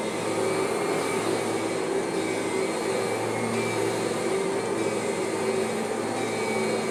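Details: Kirby vacuum: even, steady motor hum with only a faint thin whine on top; most of the original normal transmission whine is gone.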